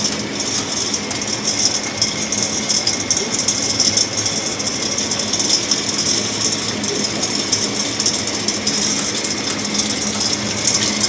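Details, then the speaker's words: Axeman-Anderson 130 coal stoker heating a Mahoning 500 wood boiler, one week in, auger kicking back on, pulling coal from the bin: continuous gritty churning over steady motor hum, no jams or knocks; normal feed, no draft or heat problems. "and like 10 minutes later it kicks back on digging coal out of the bin all by itself"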